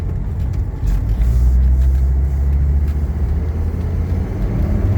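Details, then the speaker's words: 1980 Mercedes 300SD (W116) turbodiesel, just finished with rotten turbo wastegate hose replaced, AC on, pulling away on final test drive: deep steady diesel rumble rising gently with load, no knocks or misses; running awesome, healthy. "oh yeah this thing is running awesome perfect transmission shift"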